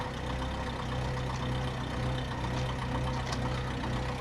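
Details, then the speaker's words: 2004 Mercedes SLK230 with 172,000 miles, oil-covered engine bay and warning lights on: low, uneven idle with loping pulses about twice a second, engine fighting to stay running; rough idle, cause not yet clear. "all right so she does startup she does Rev however I don't know if you can hear it but it is it is fighting to stay alive so"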